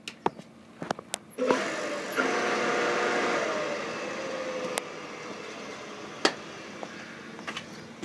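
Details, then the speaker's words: Pool pump motor being checked for a clogged impeller, switched on briefly: a few clicks, then a smooth, even motor whir for about three seconds with the impeller audible, not scraping or rubbing; it sounds normal. "Come back, turn it off. Sounds normal once it's. You can hear the impeller actually."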